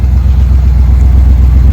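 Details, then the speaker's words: 1972 Dodge W200 Power Wagon V8, back running after sitting for years, fresh oil change after oil reeked of gas from starting fluid: deep, even rumble with a steady beat, no knocks or misses; engine running healthy and smooth. "It sounds awesome."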